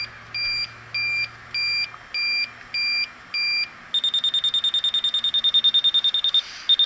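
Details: York rooftop HVAC unit: an electronic leak detector's beeps go from slow pairs to a rapid steady chirp of about three a second. A refrigerant leak has been found.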